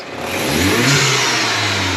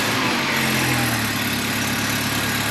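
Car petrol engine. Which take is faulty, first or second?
second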